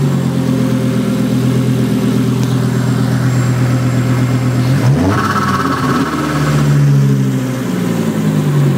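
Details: Volvo S70 T5 with swapped-in 2000 V70R engine, first start, open downpipe: loud raw exhaust, steady even idle, then clean smooth rev up and back down; normal healthy running.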